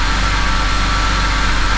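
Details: BMW E90 N52/N51 engine after replacing an alternator that was not charging: smooth, evenly pulsing idle with a steady low drone and no belt squeal or chirp, battery light off, 14.4 V measured; normal idle.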